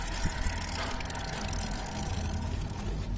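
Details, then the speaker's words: Yamaha Mio carbureted scooter fitted with an oversized 90/90 rear tire instead of 80/90: uneven light jingling rattle over a low steady idle, from the rubber mudguard under the air filter rubbing the tire. "sumber suaranya itu kericik-kericiknya itu dari si ini, ya, spetbor yang karet bagian bawah filter udara."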